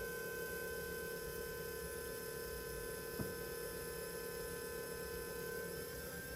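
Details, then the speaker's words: Suzuki Samurai with a custom power steering setup using a Volvo C30/C70/S40/V50 electro-hydraulic pump and a ServTronic controller, its speed turned down by an interior switch: steady electric hum with even high tones and no knocks or grinding; running smoothly. "So you can hear that pump running right now. You give it a minute, it'll kind of settle itself."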